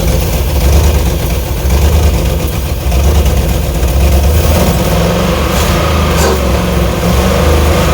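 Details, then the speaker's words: Cheap early-2000s Chevy Tahoe, 5.3 V8 with 4L60E, run in park on carb cleaner sprayed into the throttle body with a little throttle; loud, uneven, lumpy low rumble that steadies slightly, clearing up a little. "Well, I think that was good enough. It cleared up a little bit. I gave it a little throttle, but the old car cleaner stopped spraying real good."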